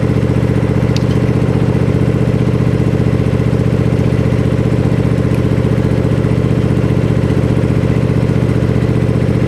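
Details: Gravely Pro Turn 52 mower with blades not engaging, started on a little choke after fitting a new plug: steady regular chug about three beats a second, no misses or clatter; engine runs evenly.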